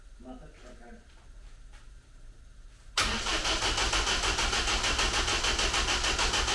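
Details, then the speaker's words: Rebuilt engine in a Ninety after an engine change, oil pressure confirmed and choke applied: steady, even cranking around 200 beats a minute, but it never catches. There is no fire, so spark and ignition timing are being checked next. "that sounds okay but there's no fire let me quickly check out this spark"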